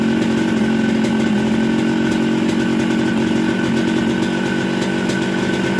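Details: Newly bought Yamaha RX-King two-stroke with a Yamaha 125Z head, after teardown replacing connecting rod and block, grinding crankcase corners so the magneto spins freely: crisp, high ringing note, steady and even, no rattles or misfires; runs sound.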